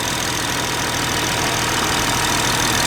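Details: BMW G30 with B58 engine after camshaft follower replacement, idling while the fuel pump and rail are checked for leaks: steady, even idle with a smooth hiss and no ticking or knocking; normal idle.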